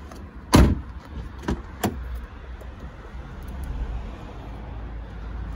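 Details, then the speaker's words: Car door check strap after tightening its loose Torx bolt: a single soft door thud and a couple of light clicks, then quiet; the cracking noise on opening and closing is gone, normal check strap operation. "the noise has gone like i said guys it's not the same for every car okay sometimes this check strap does fail and it will need replacing"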